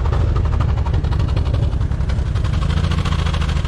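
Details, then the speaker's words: Trooper, hot, at idle with throttle blips: loud rough idle with a fast chuffing pulse and rattly bursts at the exhaust as honeycomb chunks blow out; a clogged catalytic converter is breaking up. "It's shooting chunks of stuff. Harry, it's a cat. One of the cats are clogged."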